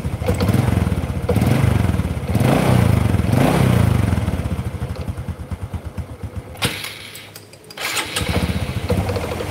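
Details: Honda Karisma motorcycle, just started: uneven popping idle won't stabilize, stumbles and dies if throttle opened quickly, needs slow throttle to rev; engine running rough and lacking power.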